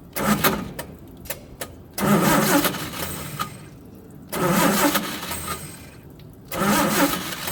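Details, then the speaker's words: Old truck engine, carbureted with choke set: repeated two-second starter bursts with a steady cranking rhythm but it never catches; the original or old ignition coil was found bad and replaced with a coil borrowed from another vehicle. "dang it okay we're back so we determined that the coil on the engine was bad it had the original coil on or an old coil on it"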